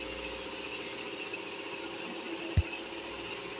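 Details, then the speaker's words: Pakistani ceiling fan that ran slowly, after fitting two new capacitors: now spinning at full, double speed with a steady even hum. A lone tap near the end comes from a worn bush; replacing the bush would cure it. "তো দেখেন আমাদের ফ্যানটা কিন্তু আগের থেকে দ্বিগুণ স্পিডে ঘুরছে, ফ্যানটার গতিটা বেড়ে গেছে, সম্পূর্ণ গতিতে ফ্যানটা"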